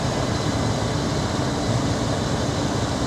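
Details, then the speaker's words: 2004 Dodge Ram 1500 V8 pickup, 125,000 miles, just started with a puff of white smoke (possibly from not being run in a while): steady, deep exhaust rumble without ticks, misses or knocks; sounds fantastic and healthy. "oh that's good she sounds fantastic oh nice nice nice nice nice"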